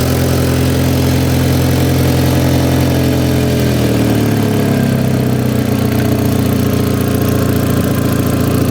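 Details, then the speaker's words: Rebuilt crash-damaged Audi TT with new induction kit and catch can, no exhaust fitted, cold start: loud raw open-pipe idle settling to lower calmer beat within seconds; no rocker cover gasket leaks; normal cold start idle. "It's calmed down now. A bit loud from on that cold start, but it's gone quiet now."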